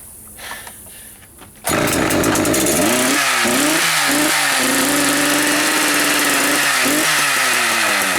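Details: Used Echo 590 chainsaw, first start, bar and chain not fitted: catches and revs in sharp bursts, then a fast, even idle with a light jingle from the bare clutch, not the recoil; normal clutch rattle.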